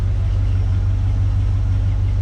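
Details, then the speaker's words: 2007 Ram 1500 after new rear axle bearings and seals, running on stands with the rear wheels spinning: a steady, low hum with no growl, grind or groan; the rear axle sounds healthy, with no leaks. "we've got the tires turning anything leaking anywhere I don't hear anything there's no grumbling there's no groaning"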